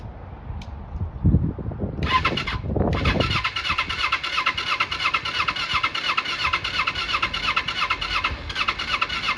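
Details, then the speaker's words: 1995 Kawasaki Eliminator EL250, off the road for years with very low miles, catches after a few cranks on full choke with fuel on reserve. Buzzy, uneven beat with a high rattly edge, never smoothing out, and it isn't revved. Rough running; owner suspects the spark plugs. "making me think it's definitely spark plugs. Don't really want to rev it."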